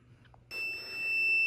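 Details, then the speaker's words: 12V 300W modified sine wave inverter on a 194 Wh 3S DIY lithium-ion pack, baseline test without boost converter: steady high beep of the low-voltage alarm starting at 11.12 V after only 73.8 Wh drawn. "Alright, as you can hear, the inverter's beeping indicates low voltage, and that's already beeping at 11.12 volts."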